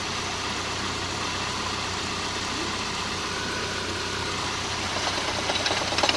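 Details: MGF idling: a rapid, somewhat uneven knock about three times per second, cause not pinned down.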